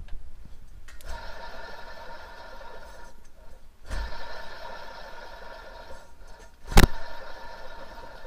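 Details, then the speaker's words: 1977 Chevrolet C10 truck, belt removed, alternator spun by hand: gritty whirring rumble fading as it coasts down, twice; noise appeared under very light throttle, owner suspected a pulley; alternator bearings are bad. "so it sounds like the bearings are bad in the alternator and that's a pretty good indicator that that was kind of the sound that we were getting"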